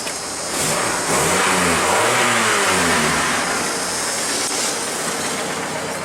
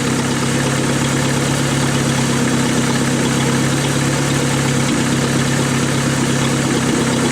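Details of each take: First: 1988 Dodge Dakota 2.2 L four-cylinder in neutral after the stock muffler was refitted and clamped tight. It revs cleanly and settles with a smooth, even exhaust note, no rasp or leak. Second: 1988 Dodge Dakota 2.2-liter four-cylinder, 5-speed, at idle: loud raspy drone with uneven exhaust chuff; exhaust leak because the pipe slipped out of its clamp and the muffler came loose.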